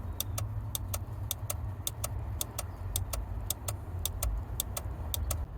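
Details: 2001 Ford Expedition no-crank after gas-station stop, new 15 A starter relay fuse fitted (later found blown): rapid dry clicks in pairs, several a second, engine never turns over; cause found to be a loose negative battery terminal.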